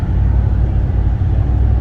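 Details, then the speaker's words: 2010 Ford F150 4x4 cruising on the road with the muffler removed: a deep, steady low rumble, louder and throatier than stock but not obnoxious. Loud exhaust from the removed muffler, apparently intentional. "You can kind of hear it is a little bit louder. The muffler is gone. I assume that that is an intentional thing. It does sound good."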